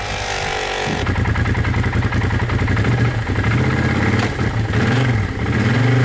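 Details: 2012 Arctic Cat Wildcat 1000 side-by-side drifting and doing donuts hard in snow: engine pulls strongly and revs cleanly as load rises and falls, no misfires or knocks; normal running under load despite an earlier electrical cutout.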